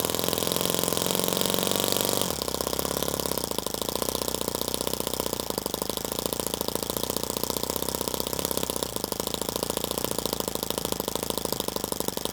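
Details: Toyan FS-S100AC miniature four-stroke kit engine, restarted to film the valve train: fast, even ticking beat that holds steady after it fires up; idling cleanly.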